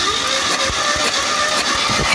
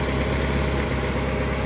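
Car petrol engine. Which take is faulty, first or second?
first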